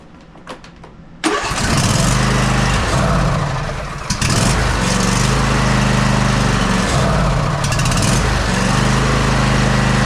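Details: Husqvarna YTA24V48 tractor with 24 HP Briggs & Stratton V-twin that sat all winter and wouldn't start; after clearing old gas it catches with quiet clicks and settles into a steady, even low run at about 220 pulses a minute, no misses.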